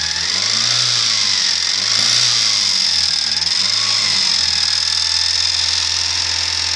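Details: Lada Priora engine revving up and settling with a hard, hissy roar and a faint tapping underneath that follows the revs; engine knock.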